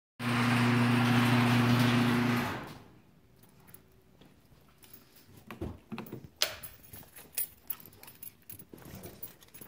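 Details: Jeep WK/XK 3.7L V6, hot restart about five minutes after shutdown: starter cranks steadily about two seconds without firing; intermittent hot no-start, never when cold, traced to a faulty crankshaft position sensor.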